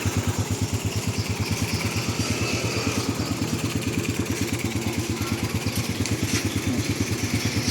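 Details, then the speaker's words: 2006 Honda Supra Fit motorcycle single: even, steady low-pulse idle with no knocks or rattles; the engine sounds smooth, normal idle. "Tapi kalau untuk mesin halus ya entar ya lah lah lah. Suaranya halus."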